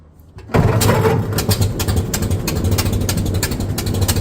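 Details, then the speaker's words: 1926 Model T Ford truck, fuel on and coils warmed about 10 seconds, started on the starter button: it catches after half a second and settles into a steady, evenly spaced chuff with no misses. Healthy start. "Okay, we'll just see. She's going to fire up today. Oh, almost."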